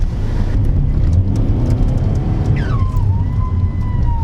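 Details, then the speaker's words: Peugeot 206 HDi diesel after a front-mount intercooler fit, boost creeping to about 22–30 psi: a heavy rumble, then a whistle drops sharply and holds a steady tone. Blown turbo or popped boost pipe suspected, not confirmed. "clean oh 2030 or boost whoa I heard that what's that all about that's going up to like 22 what happened there"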